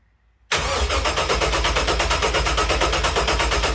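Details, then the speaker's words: First start attempt of a freshly rebuilt LS1 (Crow cam, new pistons and rings) from a 2001 Holden SS Commodore, swapped into a 1978 Corvette. Even cranking at about three beats per second but it never fires: the crank sensor plug was on the wrong sensor, so the PCM got no crank signal. "So when we were trying to start it, the crank sensor plug was in the wrong sensor, so it was sending no crank signal to the PCM. So the PCM had no idea the engine was turning. So that's why it wasn't firing."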